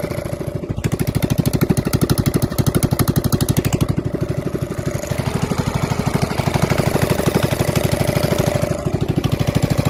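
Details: Honda GX270 single-cylinder engine being rebuilt and converted from gear reduction to stock crank, with new coil, crank and side cover: even putter about three beats per second, steady idle, running normally.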